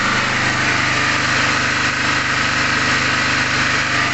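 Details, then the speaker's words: Small single-cylinder generator running on gas from a line and tap in a shed: even, steady buzzing drone at constant speed, no misses or surging; idling healthy. "так так так працює він як ви вже поняли на газу"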